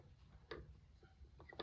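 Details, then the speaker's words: MTH SD70ACE model locomotive, one of three loaned, running in reverse at low power: quiet motor hum with scattered clicking ticks like a gear turning; suspected gear mesh issue, this unit set aside for repair. "That sounds a little strange though. Kind of like a gear turning. Sounds like a gear mesh issue, honestly."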